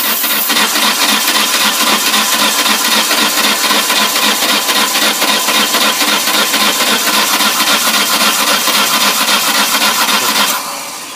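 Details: '99 Ford Escort cranking. Steady cranking about four beats a second for ten seconds, never firing. Suction and blowback are felt at the intake during cranking; no-start cause unknown.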